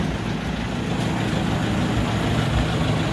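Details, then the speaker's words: Rear differential after all bearings were replaced to cure a whine, driven in 5th gear: a steady low drivetrain rumble with no whine, now quiet. "ชนิดเลย[เพลง]เที่ยวสระนี้Loveๆครับก็เงียบ"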